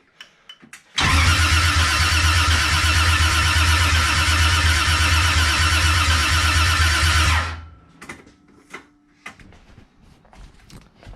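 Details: 1JZ engine in E36 after fixing TPS 5V issue; catches at once and holds a steady fast idle about six seconds, then shuts off, starting cleanly.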